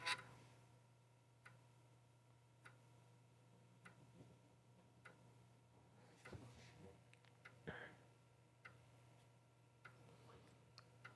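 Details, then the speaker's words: Cheap secondhand Atari STf board under repair, floppy drive running a read-alignment test. Slow, even ticks about every 1.3 seconds over a faint hum; the head is assumed to be stepping slowly toward track 40. "I mean, it's ticking along. I'm assuming that's the head slowly moving up to track 40."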